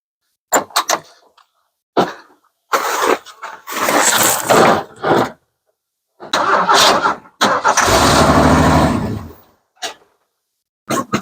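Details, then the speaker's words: 1981 Ford F150 straight six, sitting since September, new electric fuel pump fitted, starting fluid sprayed in: several short cranking bursts, then it catches and runs briefly with an even beat; clean start. "[Music] straight six never lets you down all right let's get this sucker out of the snow and over to the shop"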